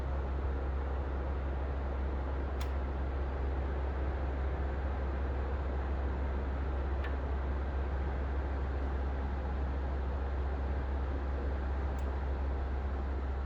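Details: Brand-new Pioneer 9000 BTU 240V mini split running: a steady low hum with a sharp faint click about every five seconds, and lots of clicking overall. Cause unknown.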